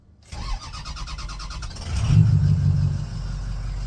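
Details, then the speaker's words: Ford 6.0 Powerstroke diesel, 300,000 miles, EGR deleted and tuned, cold start after timing cover gasket replacement and coolant refill: brief cranking, quick catch, steady slightly high cold idle; healthy start. "Yeah. Looks like we got a little high idle. That'll go down."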